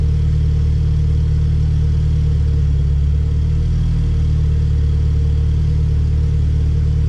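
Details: Honda Civic Si with B18C1 GSR swap and Precision turbo, first start on the existing tune with injector size changed and fuel pressure holding: deep, steady low rumble at idle, even rhythm, no exhaust pops or crackles; idles smoothly.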